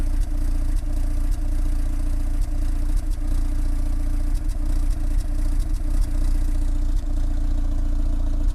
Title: Peugeot 306 GTI6 misfire